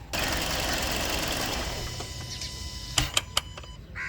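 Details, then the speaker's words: Kia Sportage, noise began around 3,000 km: engine runs, shuts off, then three sharp, evenly spaced clicks from the throttle body; still present after cleaning the throttle body; dealer says normal. "time to start the engine and the clicking noise is still there"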